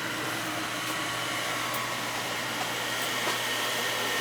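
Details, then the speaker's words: House gas boiler that would not come on, after replacing the faulty part that spun but didn't work, test fired before sealing: steady rushing hiss with constant hum, no rattles or surging; burner firing normally. "It should fire right up. This one spins, but it's just not working. There it goes."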